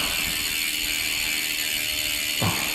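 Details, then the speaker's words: Dolan L'Etape SL Disc road bike rear wheel coasting: crisp, fast, even ticking from the freehub with no grinding underneath; healthy freehub ratchet, though the wheel bearings are separately said to be not smooth. "i'll show you through the hub while i'm here it sounds mint listen to that"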